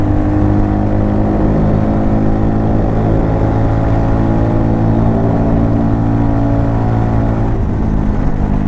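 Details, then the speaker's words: 2020 Hyosung Hawk DLX 250cc, stock exhaust, riding under throttle: a flat, blatty drone with a hollow rasp. The pipe is cracked and the muffler's insides are coming apart. "the inside of the muffler is actually coming apart. It's just time to move on for it, folks. It doesn't sound good, like an open fart can, basically."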